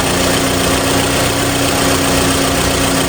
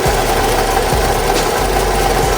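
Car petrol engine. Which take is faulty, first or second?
second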